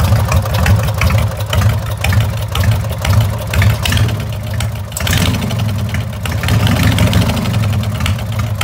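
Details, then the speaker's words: Lawnmower with an 18.5 hp Briggs & Stratton opposed twin, carburetor rebuilt, throttle on a homemade gas pedal: a steady, low, even putter with no misses or knocks, holding speed well. Normal running. "this is a 18.5 horse post twin briggs had to rebuild the carburetor on it so here's what it sounds like"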